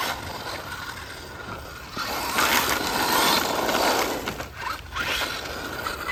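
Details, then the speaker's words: FTX Zorro brushless RC car on 3S with a new chassis (27 mph top run). A rough, uneven gear rasp swells under harder acceleration over the motor whine. The run was ended to avoid more damage. Owner suspects metal gear grinding on plastic; not yet inspected. "I think we're going to call it a day, people, because that noise is, I don't want to do any more damage than what I may have done."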